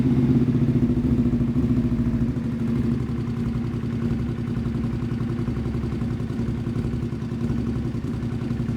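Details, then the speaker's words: Custom motorcycle built from two bikes, first start after the engine swap; uneven, stumbling, loping rumble that never settles into idle; running very badly, cause unknown. "By math, we somehow managed to make 2 perfectly running motorcycles into 1 very badly running motorcycle."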